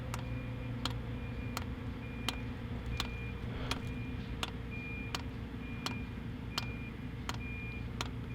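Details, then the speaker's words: Cheap diesel heater's included dosing pump in a JDM Delica camper van: sharp, even ticks about 42 a minute over a low hum while diesel fails to pass the pump; owner suspects the pump is faulty; fuel pump clicking. "even though it's on right now it's clicking doesn't sound very healthy i've never heard field pump that sounds like this"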